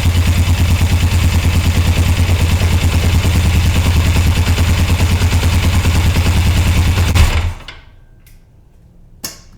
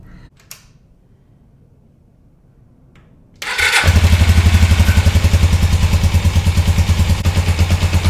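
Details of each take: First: 1981 Suzuki GS450L after further clutch cable adjustment: even, steady idle with regular beat and no clanking, then engine switched off; runs normally. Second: 1981 Suzuki GS450L idling after a half-turn clutch cable adjustment: engine fires into steady idle with repetitive metallic clank on every beat; clanking persists, owner suspects clutch cable adjustment.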